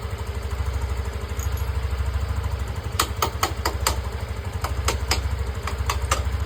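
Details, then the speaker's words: TVS Callisto scooter idling steadily with an even low putter, no stumbling or stalling, after fixing the weak fuel pump that made it sputter, refuse throttle and die. "Ini sepeda saya sudah lancar ya. Tadinya itu berebet-berebet seperti video yang saya share di grup kemarin, grup TVS."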